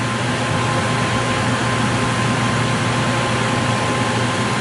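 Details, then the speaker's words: 2006 Yamaha WR450F with newly installed Trail Tech universal fan kit: fan kicks on at 151 (default setpoint 150), keeps running after the engine is shut off; even, steady fan whir with a faint constant tone, no rattles; normal. "Fan just kicked on. Awesome. Let's shut this bike off. Fan's still running."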